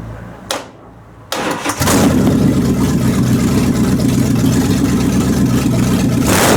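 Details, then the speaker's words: 360 engine, thermostat open and warm, no fan fitted: catches after a brief crank and settles into an uneven idle with an irregular stumble, a misfire; owner suspects carburetor gasket and vacuum lines, not confirmed. "so it all run good still got a Miss in it I'm pretty sure that that carburetor gasket and all those funky vacuum lines I got"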